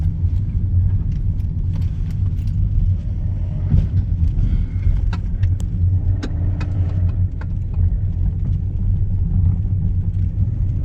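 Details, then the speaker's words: Hyundai with stalling complaint, driving: deep rumble with irregular sharp clicks, only under load, faster than wheel rotation, possibly timing related; source unclear, steering wheel clicking also present. "it's only under a load too it makes that noise"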